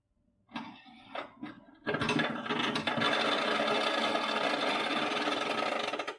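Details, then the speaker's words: New Creality UW-02 wash and cure station magnetic stirrer running with water: a few short clacks then about four seconds of constant rattling grind; stepper motor loose in its mount. "that sound is not normal that is a horrifying terrible sound for a brand new magnetic stirrer to be making and i couldn't tell you what it was"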